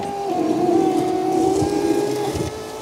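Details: 2011 Fiat 500 Lounge, ignition on: window motor hum with a harsh scraping about halfway down, stopping at the top; owner suspects a bolt or the regulator needing grease on its wires and pulleys, not confirmed.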